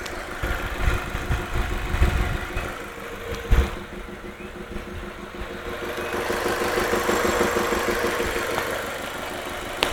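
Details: Audi A3 1.8T 180 hp at idle: dull tuc-tuc knocks repeating through an uneven idle, fairly loud over engine hum; abnormal noise, cause unknown.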